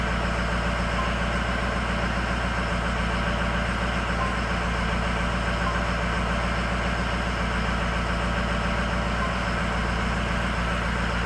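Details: High idle on an engine with poor cylinder balance, cylinder 8 cut out: lumpy, uneven beat about every 0.7 seconds over a steady drone, cylinder eight not firing; cylinder 8 misfire.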